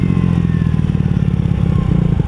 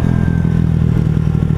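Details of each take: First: Honda Ruckus scooter after valve adjustment and tuning mods: engine revs climbing in pitch while the CVT drive doesn't follow, belt not traveling; variator sliders not moving, a new abnormal noise. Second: Honda Ruckus after correcting a CVT sliding guide installed backwards that stopped the variator sliding: fast, even putter under throttle, no slipping or clatter; normal CVT revving.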